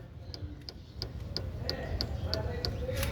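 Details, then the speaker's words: Chevrolet Corsa/Celta suspension, stabilizer bar rocked by hand: sharp metallic clicks about three per second from a worn stabilizer bar bushing, with the rubber missing on one side. "galera olha só é a bucha estabilizando ó o barulho que ela faz ó com o dedo hein"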